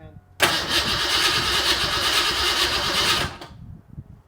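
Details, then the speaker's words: Fox-body Ford Mustang that had spark but no fuel, after regrounding the injector harness ground strap and spraying carb cleaner into the intake: steady cranking for about three seconds with no firing. Crank, no start due to a weak fuel pump giving low fuel pressure. "All right, so you'll hear this, but we got a real weak fuel pump. I mean, I knew it was weak to begin with, but I thought I could limp it through."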